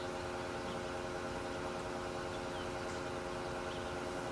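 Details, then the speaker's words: Electric 58 PSI fuel-injection pump for a 1976 Corvette RestoMod, bench-tested from a separate battery during fuel line test: steady even hum, no surging, rattle or pitch change; quiet, likely because submerged in gasoline; normal operation. "so the pump's been running for a while it is pretty quiet now I'm probably because it's submerged in gasoline"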